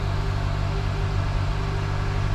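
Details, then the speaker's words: 2007 Honda Accord 2.4 four-cylinder idling cold and slightly fast after a new O2 sensor for a misfire code; steady, even hum with no stumble or miss, codes cleared and none returned, a normal cold idle. "it's it's still over look it's idling pretty good right now it's it's cold so it's a little bit fast"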